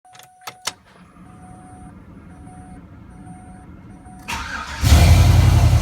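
After a few clicks and a repeating dash chime, the car cranks briefly, fires and settles into an even, leak-free run.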